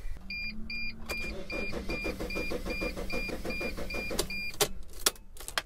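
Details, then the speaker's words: Mercedes Sprinter van cranked with the key from a different vehicle: even cranking about four beats a second under a repeating dash chime, never catches, tachometer does not bounce; immobilizer lockout, no start. "assuming it did more than click and it turns over not quite as severe as the battery being dead and like this and it doesn't start we've got more to look at does the tachometer bounce it does not"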